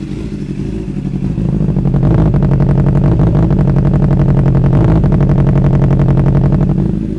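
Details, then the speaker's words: Wrecked Honda CBR600RR being rebuilt to stock: uneven, lumpy pulsing about four beats a second through the revs, sounding like a twin instead of a four; misfire with a cylinder not firing, owner fears low compression or valves. "So, we got an issue. You can hear it. Sounds rough. Sounds like it's missing a cylinder or so."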